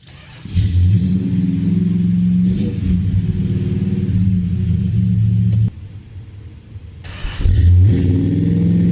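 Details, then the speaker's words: 1970 Dodge Charger, 383 big block V8, after installing Flowmaster American Thunder exhaust with Super 40 mufflers and H-pipe: much louder deep burble revving up and dropping back cleanly twice, even lopey idle between; healthy. "The car is considerably louder now. It sounds like a true big block Mopar now."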